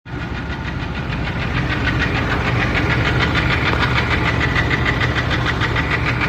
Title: Engine Knocking, Coming from Bellhousing, starter, Oil pan area